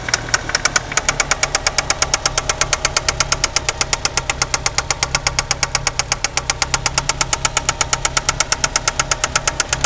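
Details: '93 Eagle Talon turbo, stock 7-bolt 4G63 engine at idle: sharp, even metallic knocking several times a second from the bottom end; confirmed spun/worn connecting rod bearing, play found between rod and crankshaft with oil pan removed.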